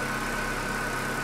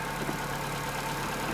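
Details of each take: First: Chevrolet Corsa Classic 1.6 (not 16-valve) that arrived on a tow truck not starting, now running: steady even idle, smooth low hum, no knocks or misses; engine healthy and settled. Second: Chevrolet Corsa Classic 1.6 (not 16-valve) idling slightly high: steady idle with a constant airy sucking hiss; vacuum leak, air drawn in past the brake booster hose seal.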